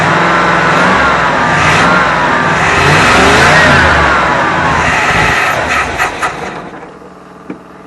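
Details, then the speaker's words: 1974 Avanti V8 first run after sitting, points cleaned to restore spark: uneven, surging run that rises, sags and dies instead of idling; seems to fire on all eight cylinders, carburetor cleaning possibly needed, cause unconfirmed. "didn't like that well we know it runs it seems to be running around all eight cylinders which is good uh it's going to take some running off and on to get this thing back to where it's going to run in idle"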